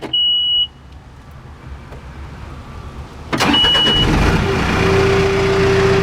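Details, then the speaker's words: John Deere 310G backhoe diesel that keeps losing fuel prime when sitting, owner suspects injection pump needs rebuild: short chime, pause, then restarts at once at minimal rpm and settles to steady idle. "Starts right up."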